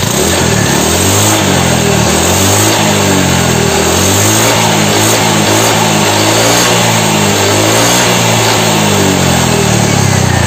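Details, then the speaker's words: Honda Vario 125 LED scooter after piston and head replacement, exhaust refitted, throttle blips: clean revs rising and falling smoothly, no knock or rattle, previous cylinder noise gone; normal revving, only thin white smoke from oil residue in the muffler. "ternyata untuk suara mesinnya ini juga suaranya halus suara Nges lahar kulkasnya juga udah hilang ya"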